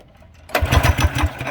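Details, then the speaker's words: Budget mini bike single-cylinder engine, after new screamer pipe and custom muffler: a few soft, quick chuffs on the pull with little resistance and no firing; low cranking compression. "i don't know here we go it's still a really lacking compression"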